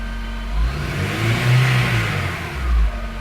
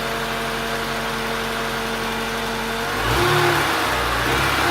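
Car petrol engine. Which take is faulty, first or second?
first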